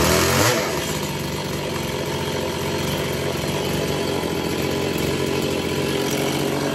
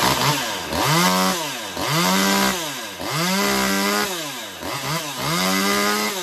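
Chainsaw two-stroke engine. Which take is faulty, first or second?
first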